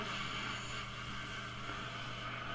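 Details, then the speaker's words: 1953 Vidor CN426 suitcase AC/battery portable valve radio, after repairs including a valve change, valve base repair and wire repair, tested with an antenna instead of the generator: steady soft hiss with faint low hum, no crackle or dropouts; working normally. "It's about right and it's making noise. It's making good noise."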